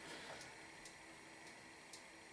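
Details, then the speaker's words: Tilley TL14 paraffin pressure table lamp, late 1930s, pumped and lit, ran hours non-stop without problems: soft, steady hiss from the burner with a few faint ticks, no sputtering or surging; burning normally. "it's burning nicely now and I had this going for a couple of hours non-stop last night no problems at all you listen carefully it makes a little hissing noise"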